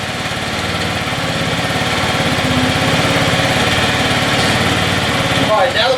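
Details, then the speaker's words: Scooter's first start after prep and oil change, fresh premium fuel, not revved hard: small engine fires at a quick, even putter, picking up smoothly without misses as it catches and settles into a run. "You can hear it getting a little bit closer because that fuel, like I said, is going through the lines. Getting there."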